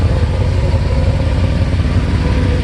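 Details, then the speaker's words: 1988 Mercedes-Benz 560SEC V8 with aftermarket catalytic converters at idle: loud, rough puffing chuff over a low steady idle, gas escaping at an exhaust pipe junction; exhaust leak that needs repair. "It sounds like it's coming from... Yeah, I think it's leaking right from around the junction, so this has to be done because this is terrible."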